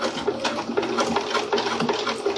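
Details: Sewing machine running again after a problem traced to the thread cutter, sewing a forward straight stitch close along piping: quick, even stitching patter with light clean ticks, no knocking or grinding. Normal stitching.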